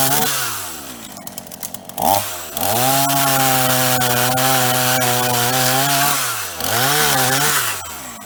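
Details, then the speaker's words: Repaired Ross two-stroke chainsaw with new heavy-duty vacuum hose, cutting dead privet: strong steady scream that sags only slightly in the wood, then clears; cuts easily with no fluid leaks. "Well, it ate all that up for breakfast. No trouble at all. And not leaking any fluids."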